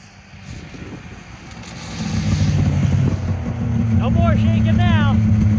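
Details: 2000 Yamaha VMAX 700 Deluxe two-stroke triple snowmobile, 11,000 miles, after replacing a chunked drive belt with a spare: revs climb smoothly with steady even drone, no shudder; vibration was the old belt, now gone.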